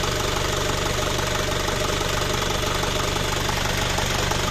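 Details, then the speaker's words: Isuzu Panther Kapsul diesel after repair, previously rattling despite engine overhauls: even idle about three beats a second, steady diesel clatter, no ticking rattle; smooth, healthy running. "saya Om suaranya halus fix dari bospom"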